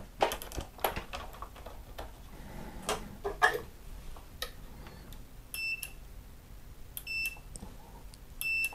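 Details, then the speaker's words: New Nivona 690 coffee machine that dumped ground coffee into the drip tray, after its microswitch was replaced: three clean high multimeter continuity beeps, one per click, showing the new switch works properly. "В момент щелчка у вас должен прозвучать звуковой сигнал."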